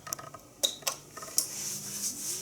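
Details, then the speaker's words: Nugelec type 2A fire alarm panel under test: a few sharp, light clicks in a quiet room with no buzzing after, the auxiliary contact relay pulling in normally when activated. "entend un petit qui claque. C'est ça que là, le contact auxiliaire est activé."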